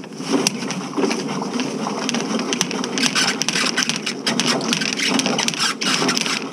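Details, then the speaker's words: Electric snake cable run through a cleanout into a clogged ladies' room sewer line at a renovated movie theater: steady gritty rattle with irregular sharp ticks as the spinning cable chatters against a hard tile grout clog. "oh I can hear it might be a turn if you listen real close you can hear the cable and we're no all right we're going to give him some more water"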